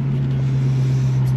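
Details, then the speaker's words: 1966 Ford Mustang 289 V8 on road test at steady speed: deep, smooth, unbroken exhaust drone with no knocks or misses; healthy V8 exhaust. "Alors on entend un petit peu les échappements."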